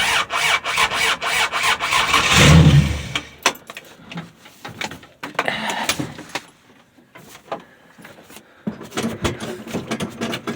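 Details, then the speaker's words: 1965 Dodge Dart, 225 cid Slant Six, cold start, fresh gas after sitting, choke turned down; scattered cranking bursts with one brief surge then stumbles and fades; hard starting from a faulty distributor cap carbon centre electrode. "Alright guys and gals, I found out what the problem was. Why I was having such a hard time."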